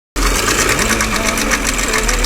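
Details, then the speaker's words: Porsche China-6 petrol engine: fast, sewing-machine-like ticking clatter. Worn rocker arm needle roller bearings, even though these are the improved thick-needle rocker arms; all 24 rocker arms replaced. "果然不出我所料，这台车子的发动机异响，它就是这个滚针轴承磨损掉下来造成的这个异响。"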